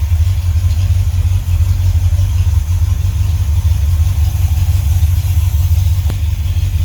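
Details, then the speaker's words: 1978 Ford F-150 V8 with no tailpipes fitted, warming up from a cold start after fixes: deep, loud open-exhaust burble at steady idle with no tick or tap on top; normal smooth idle. "Hey, listen to that. No ticking up here. How good is that?"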